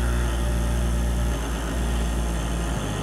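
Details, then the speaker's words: Servo motor closed-loop system with too much loop gain: a steady low hum with a buzzy, higher vibrating tone on top, a high-frequency oscillation full of harmonics, unlike the earlier clean 25 Hz oscillation. "it's got all sorts of harmonics and things aren't really so that's not a neat kind of oscillation like the last one was I spoke like some kind of vibration at high frequencies"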